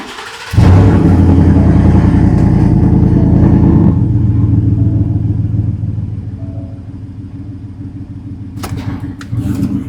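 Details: 2019 Ford F-150 5.0L V8 with a cylinder 4 misfire that persisted after the owner replaced the coil and spark plug: hard start, then a low, uneven idle with a recurring stumble; misfire from a cylinder getting no fuel.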